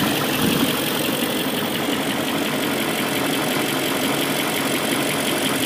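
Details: BMW M62B44TU V8 at idle with stock exhaust: constant dry metallic rattle over the engine note, steady and unchanging, suspected to be timing chain rattle, not confirmed; the chain tensioner is later replaced with an INA aftermarket part (BMW 11317531813).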